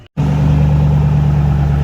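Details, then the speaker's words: Ford 4.6 3-valve V8 after install of ported heads, new timing set, lifters, followers, phasers and VCT solenoids: catches at once and settles into low, smooth, quiet idle with no ticking or knocking; healthy. "Alright guys, it's so quiet and so stock."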